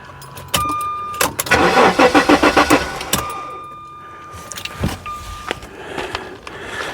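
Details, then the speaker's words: 1994 Jaguar XJ6 stored several months, on a booster charger with noid light on an injector and spark tester on the coil wire: quick even cranking, about eight beats, no fire; crank no start, no spark, ECM power feeds being checked. "it's cranking faster but it's not recognizing it can't see the Noid light through the windshield"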